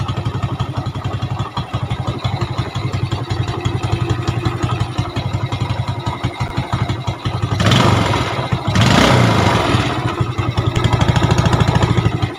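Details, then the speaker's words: Yamaha Jupiter Z (robot) after repair with valve seals replaced, oil leaking at the cylinder head fixed, previously fouling spark plugs: single idles steadily with clean throttle blips; clutch still slightly rough as it wasn't opened. "dan itu yang suara hasil dirakit Hai dan pada intinya emang rada kasar dikit bagian kopling ya karena kita nggak bongkar bagian kopling"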